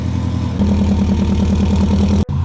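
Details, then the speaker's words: 2002 Subaru WRX with its blow-off valve held by hand: a steady, even low idle with a smooth regular pulse and no knocks or misses. Normal idle. "andrew's going to start it up now i'm going to hold the blow off valve um and then just hear her run listen to that baby purr"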